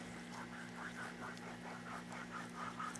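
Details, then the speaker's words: Yamaha WR426F engine teardown: crankshaft turned by hand gives a gritty, scratchy rasp about twice a second from rough main bearings, though no play; crank truing considered. "if you uh don't plan on replacing it oh bearings doesn't sound good"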